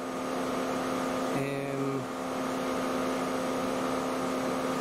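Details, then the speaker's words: 2008 Mercedes W204 C180 Kompressor idling, loud steady rush of the cooling fan running flat out from a few seconds after start; fault code B10 7A15, refrigerant pressure sensor reading too high, A/C not working, sensor to be replaced. "that's why i get the full code um that i was getting if it's called here refrigerant pressure sensor and also the fan is running really loud obviously"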